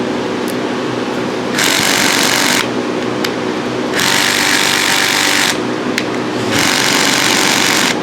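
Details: Rapid harsh clicking bursts, about four per second, in one-second runs with pauses: a drill on a rusted RV roof screw, used to send vibration down the screw and shake the rust loose.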